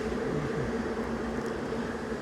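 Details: RV furnace model SF-25 after replacing the motor, combustion wheel and blower wheel, which had hummed louder and quieter while spinning: it ticks to light, fires, then a smooth, steady low blower hum with no pulsing or rattle. Repaired and running normally.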